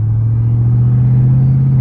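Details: Jeep Trackhawk on its first drive after a blown transmission was replaced with a brand-new one: deep, loud, even low exhaust rumble with no ticks, rattles or grinding; healthy engine and exhaust.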